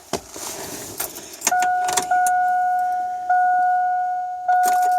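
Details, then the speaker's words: 2000 Chevrolet Silverado 1500 Z71, new fuel pump priming key on engine off after system drained: short steady quiet hum bursts, much quieter than old pump; healthy. "Of course, I do need to prime it because I've pretty much drained the whole system. So let's do key on, engine off. Let's prime it a couple more times."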